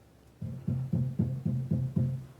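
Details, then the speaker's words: Pro-Ject Debut Carbon DC turntable, taps on closed dust cover with needle on record: seven hollow low thumps booming through speakers, noise amplified by cover vibration; removing the dust cover reduces vibration and noise. "the noise is amplified and gets boomier, and gets even worse there. There's all that vibration that can be caused when the dust cover is on there."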